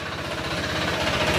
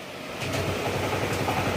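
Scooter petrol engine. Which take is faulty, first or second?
first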